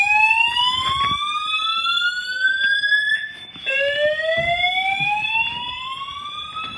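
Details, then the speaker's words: Building fire alarm that woke the occupant in the morning, sounding its evacuation whoop; a loud rising tone repeats about every three seconds, each sweep climbing in pitch; the occupant doubts it is a real fire but evacuates. "I don't know if this shit's real, but we're we're going to evacuate."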